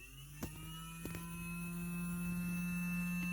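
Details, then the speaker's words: Small motor with variable resistor in series, set near 11.5 ohms: low steady hum creeping upward as the motor barely starts turning; slow start from high series resistance limiting current. "okay now we can run our motor begins to run that's about 11.5"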